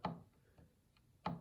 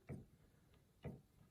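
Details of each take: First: Yamaha G5 piano action removed and on a table, key 35 released by hand: sharp woody click, a fainter one, then another loud click a second later. Suspected jack regulation noise, not confirmed. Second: Yamaha G5 piano action removed and on a table, key at the less-worn end: three soft, dull thumps half a second to a second apart with no click or rattle. A quiet, healthy key.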